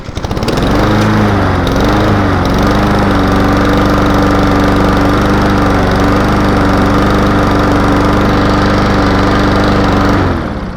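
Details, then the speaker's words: Honda push mower that would not stay running, after a new carburetor was fitted: starts with a brief surge in revs, then settles to a steady, even single-cylinder drone; the surge is put down to the new carb getting fuel flowing. "Not bad at all, y'all. You see it surged a little bit, but that's just the handle when it's a new carburetor like that."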